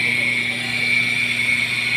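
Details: Exhaust fan motor with 6203 bearing, switched on: steady, harsh high-pitched rasping whine like a grinder, the grind of a dry, worn bearing.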